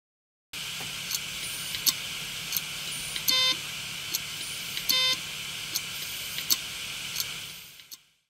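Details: Hard drive ticking sharply about every second and giving two short electronic beeps, indicating physical failure, essentially a read defect linked to the read/write head.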